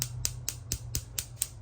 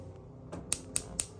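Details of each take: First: Wolf gas stove with knob pushed: sharp, steady electric igniter clicks about four a second with no whoosh of burner catching; constant clicking/no ignition caused by oil and food debris on burner plate or igniter. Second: Wolf gas stove igniter after cleaning burner plate and reassembly (previously constant clicking/no ignition): four sharp crisp spark clicks about four per second, spark now stronger.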